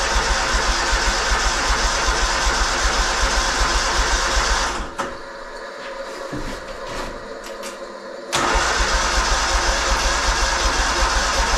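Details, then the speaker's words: 317 lawn tractor after several days below zero; sluggish cranking under three turns a second that never catches, stops, then grinds on just as slowly, too weak to start and unchoked too soon, so a jumper pack is needed. "now we're going to have to get the jumper pack just not turn over fast enough I thought I almost had it but I shouldn't have unchoked it that soon"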